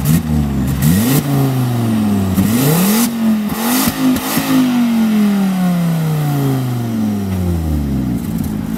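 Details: Volvo S40 T5 2.5 L inline-five, hard revs: a loud raw open-pipe roar rising and falling, far too loud for a sealed system, from the flex pipe leaking right after the turbo.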